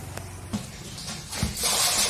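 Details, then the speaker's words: Water pump filling a tank, newly wired with a float-switch auto cut-off: steady rush and splash of water pouring into the tank, even and unbroken; pump running and filling normally until the float cuts it off. "तो हमारा टंकी चल रही है आवाज आपको आ रही है पानी इसमें गिर रहा है"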